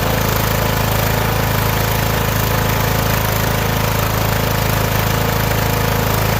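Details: Started on choke: the small single runs on its own gas tank at a steady, even beat of about four firing pulses a second, with no stumbling or dropouts.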